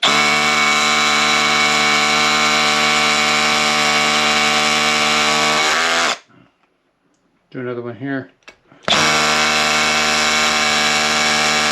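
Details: Milwaukee M12 Fuel 12V SDS drill after reassembling and greasing the hammer mechanism to fix skipping in hammer mode: steady high motor whine with even, regular hammering and no skipping in two bursts; hammer mechanism now working properly.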